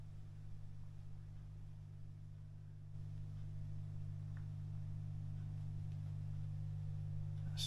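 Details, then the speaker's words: Late 1940s/early 1950s Masco MA25N tube PA amplifier, unused for years, powered up before guitar-amp conversion with not yet full voltage, volumes down: steady low hum swelling as supply comes up, slight capacitor-related mains hum. "it tear the volumes down so yes we've got a bit of capacitance home but not not a lot you can just hear that it might not be here it on the camera it's not massive but then we've not got all the the voltage on it"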